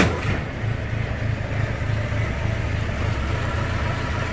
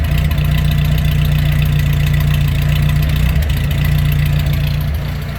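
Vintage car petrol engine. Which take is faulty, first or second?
second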